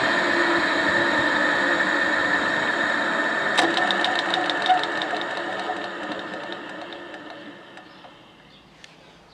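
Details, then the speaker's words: Electric motor on an old machine in restoration, shut down: steady motor hum fades as it spins down, then a single clunk near the end as the centrifugal start switch is pulled back in; normal rundown. "Hear that clunk? That is that centrifugal force switch being pulled back in."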